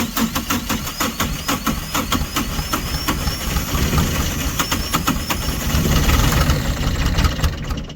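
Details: Diesel tractor in winter snow, plugged in, ran about a minute then quit; owner blames gelled or iced diesel, water in fuel despite winter blend and anti-gel, bleeding fuel: steady cranking with brief firing that never catches; cranks but won't keep running.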